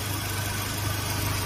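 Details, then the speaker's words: 2015 Mazda 3 at idle with new A/C compressor, vent air about 8 degrees: smooth low hum with no clicking or grinding, whereas the old compressor was noisy and audible; front fans on second or third speed, normal quiet operation. "الكمبرسر القديم الكمبرسر القديم كان مزعج يعني تحس او تسمع صوته هذا الكمبرسر ما تسمع صوته"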